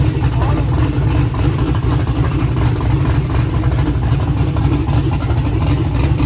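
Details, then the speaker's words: Car engine with an earlier valve train noise, first start after the fix: smooth steady idle, deep even drone, no ticking or clatter from the top end; it sounds good. "Yeah. Sounds good. Sounds like it actually works."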